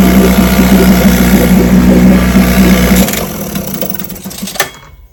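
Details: Vintage outboard (JV's motor, restored then repaired) on its Monday 5-minute test run; even, fast buzzing run for about three seconds, then a clean shut-off, running perfect.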